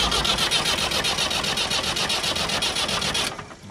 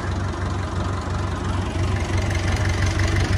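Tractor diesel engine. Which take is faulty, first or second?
first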